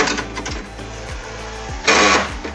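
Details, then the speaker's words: Volkswagen Voyage central locking door actuator, an aftermarket universal motor spliced in after the original broke, buzzes with repeated rattles and one louder clattering burst; sometimes fails to unlock; the motor was found cracked and was replaced with a new one. "esto seguramente se rompió el motor original y lo quisieron exponer puro universal por eso es que el motor esta función aquí y hacer ruido"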